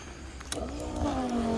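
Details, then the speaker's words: Mobile diesel delivery transfer pump powered on to refuel a customer's tank: motor hum rises in pitch as the pump spools up, then settles into a steady even drone with diesel flowing; healthy, normal pump operation. "right everything's good so far and we got some diesel coming out here we go"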